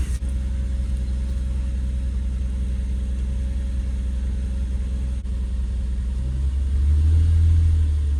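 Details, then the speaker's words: 2004 Nissan Murano after replacing the bad fuel pump that caused start-then-stall: steady even low hum with no misses, rising smoothly with revs; engine runs smoothly with no issues. "Okay guys, so just like that we got the car back running. It's running smoothly and has no issues."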